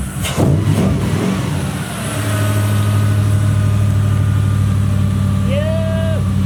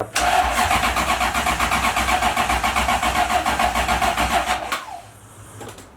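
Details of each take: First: 1UZ-FE V8 in a Mazda RX-7 FC, previously hard to start; fuel pump power was cutting out during cranking and the pump is now hardwired to the battery. Brief crank, quick catch, then steady, even V8 idle: normal start and idle. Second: 1UZ-FE V8 swapped Mazda RX-7 FC, hard to start, after new coolant temperature sensor: starter cranks steadily nearly four turns a second for about five seconds, never catches; fuel pump loses power while cranking.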